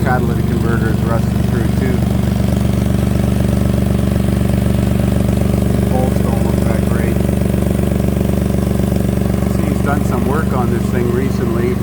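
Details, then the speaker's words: 2003 Toyota Highlander 3.0L V6, 154,000 km: steady idle with an even, regular puffing pulse underneath, heard with the car lifted; exhaust leaks from a rusted-through catalytic converter under its heat shield and further back. "got a number of exhaust leaks it's leaking from inside this cataly invert Shield so the converter must be rusted through it's also leaking back here too"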